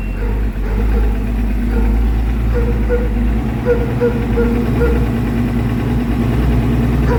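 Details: Evinrude 150 Ficht outboard after replacing a burned fuse that caused no power, no crank and no trim: smooth steady idle with an even low drone, no stumbling, knocking or surging; sounds healthy.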